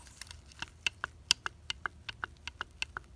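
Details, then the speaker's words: Mercedes 300SL racing car rear axle on the bench, differential spider gears rocked by hand: sharp, uneven metallic clicks about three a second from excessive play; loose spider gears. "Also, spider gears. These are loose. Let's see if you can hear it and witness it."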